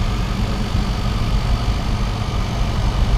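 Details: Trotec portable air-conditioner with a rotary compressor, running in a room: steady deep drone with a heavy low hum and no clear knocks; the compressor runs louder than it should.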